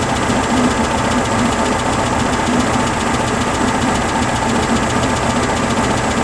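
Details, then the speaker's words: 1974 VW Beetle air-cooled flat-four with Dual 34 carbs after engine tune, warming up, valve cover leak and valve adjustment pending: steady even idle with light mechanical tick, no hard knocking; healthy engine. "the engine's dialed she'll start she runs um it sounds healthy which I'm happy for"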